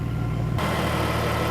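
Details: Mercedes SLK32 AMG (M112 supercharged) idling after fitting an SL65 fuel pump, adjustable fuel pressure regulator set near 60-62 at the rail, new plugs and tune: steady, even idle, smooth low rumble, no misses or ticking, no leaks.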